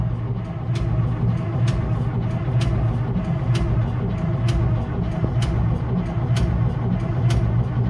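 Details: 1975-or-later Case 2470 tractor diesel, sat about 15 years, previously seized at a tight spot: deep labouring churn with a regular tick about once a second, turning over slowly on the starter without firing, no oil pressure yet.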